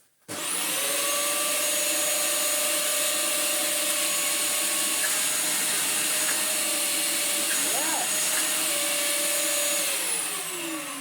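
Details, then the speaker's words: Dyson DC04 vacuum after motor replacement and a different clutch with fresh belts: motor spins up to a steady, even whine without rattle or surging; running much better, though wand suction is still lacking. "It has helped a lot."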